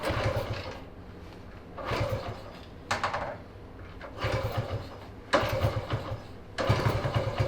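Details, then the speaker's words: 1979 Honda Trail 90 (CT90), 90cc four-speed, first run in 26 years, sputters in uneven bursts and won't idle without choke, then dies with rust blowing from the exhaust; cause unconfirmed, carburetor replacement considered. "let me try revving it up okay oh joke is on or something it likes running with the choke on yeah"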